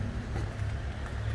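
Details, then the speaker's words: Outboard motor on a 1986 Grady White Tournament 22-3 boat under restoration, running while the bilge pump is wired up: steady low drone with no knocks, misses or rattles. Normal running. "We got the motor running. The motor's running"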